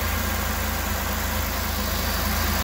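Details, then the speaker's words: 2005 Buick LaCrosse 3800 V6 Series III, no-start after an overnight soak near 0–10°F, running with the suspected bad MAP sensor unplugged; low idle with slight unevenness, a little rough on the start, then it cuts off. Rough idle. "not perfectly normal it's a little bit of roughness on the start but boy compared to where it was with the sensor hooked up where it wouldn't start or wouldn't run at all this is"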